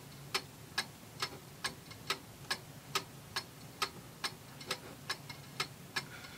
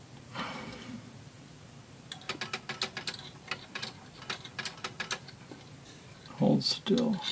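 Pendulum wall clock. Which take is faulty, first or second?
first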